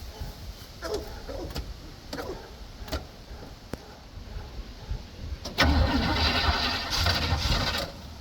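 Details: 1965 Chevy C10 with new battery cables on a cold day: slow, steady cranking for over five seconds before it finally catches and fires; a hard cold start.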